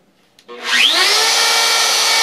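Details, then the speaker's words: Porter Cable router used for about a thousand sign carvings: harsh raspy high whine with a gritty edge holding steady at speed; owner believes the bearings are going, and the router drifts during profiling; worn bearing noise. "I think I hope I'm not wrong here but this is what it sounds like with bearings going"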